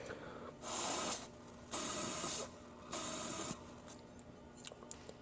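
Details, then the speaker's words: Carbureted engine's hot air choke tubes removed and blow-tested by mouth. Three breathy puffs of hiss with a thin whistle, and air can be felt escaping. The rusted manifold-to-choke hot air tube is leaking, which explains why the choke doesn't work. "you can hear a little bit of wheezing coming out of the hole but you can actually feel air escaping so i hooked it back up put this one in both holes tried it and the air was escaping out of whatever hole that this choke one was in"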